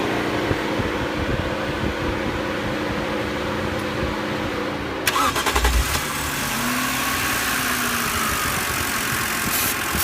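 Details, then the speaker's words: BMW after cleaning the throttle actuator, which cured its rough idle and stalling: it cranks about five seconds, catches, then settles into a steady, even idle with the fan whirring. "so now my car is idling a lot better just cleaning my um Auto throttle so that's what solved my RPM problems"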